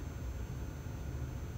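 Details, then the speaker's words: Golf cart charger plugged in and charging: a steady low electrical hum, the normal buzz indicating it is connected correctly. "otherwise it's not charging and you'll hear a buzzing sound also from the charger if it's connected correctly"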